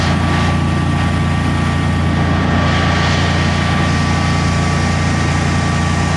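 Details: Generac Guardian 16kW standby generator, refurbished after exploded battery, running on gas under close to 6,000 W heater load: steady even drone at constant pitch, no hunting or stumbling; didn't even hesitate, healthy.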